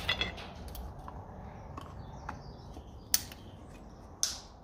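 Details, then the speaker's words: 1950s Lucas D3A4 distributor from a Ferguson T20 after restoration, new cap fitted, shaft turned by hand: a few sharp light clicks as the contact breaker points open and close cleanly; normal operation, nearly finished. "okay that's doing the thing you can hear the points so I think that is nearly done"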